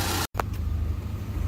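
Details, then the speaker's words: Proton Waja MMC automatic, warm-up pending, after replacing wrong-model copy stepper motor with genuine Evo 9 stepper motor, before reset and idle setting: low steady hum, no surging or misses; idle already sounds normal and smooth. "Okey dengar pun sudah okey dah sebab step motor pun isu dulu tak ngam punya model."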